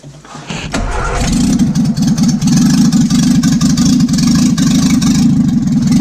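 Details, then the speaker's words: 1955 Morris Minor, engine and gearbox just installed after a half-finished restoration, cranks, catches within a second and settles into a steady, even idle with no misfires or knocks: normal running, not yet driving. "So there we are, end of day one, and we've got a running Morris Minor, not driving yet."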